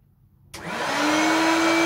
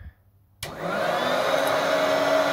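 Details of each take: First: Hoover Turbopower Freedom upright vacuum switched on at high (position two): the motor spins up to a clean, steady whine with no beating from the brush. The brushroll isn't spinning because the drive belt is missing, probably snapped or stretched off. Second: Hoover Turbopower Freedom vacuum cleaner, switched on at the low setting: the motor spins up cleanly within a second and settles to a steady, even whine with no rattles or scraping, blowing out dust on start-up; it is running normally.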